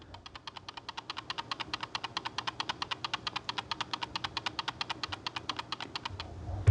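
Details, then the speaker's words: ATK X1 Pro wireless mouse, microphone held close, mouse shaken: quick light clicking rattle about seven per second from the stored 1000 Hz USB receiver sitting loose in its underside slot; noise stops once the receiver is removed. "ele tem esse barulhinho de de que o Dongle tá chacoalhando lá dentro que tem alguma peça chacoalhando lá dentro"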